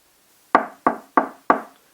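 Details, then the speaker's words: Knuckle taps on a Klipsch Cornwall IV speaker cabinet panel: rigid and solid at the braced perimeter, but the middle rings drum-like with echo and hollowness, so the cabinet could be stiffer in the middle. "So clearly the cabinet could be stiffer in the middle. If I go to the side here, it's very rigid again around the perimeter, but the middle you can hear some echo, hollowness to it."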